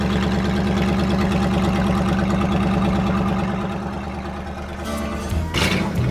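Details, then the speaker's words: 1968 Ford F100 390 big-block V8, first run in years, tank held water, fuel pump replaced: uneven, loping, stumbling idle then revs; owner suspects remaining bad gas, fuel-line antifreeze added. "And like honestly, it's probably still got some of that bad gas in it still, but yet it's doing."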